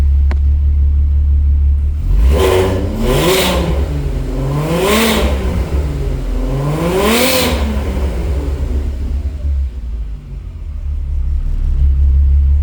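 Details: 1991 VW GTI with freshly swapped 24v VR6, cold (coolant hoses not connected), oil pressure near 70 psi versus usual 80 cold, climbing with revs: clean catch, quick throttle blips rising and falling smoothly to steady idle, no knocks or ticks; normal cold start, idle and revving.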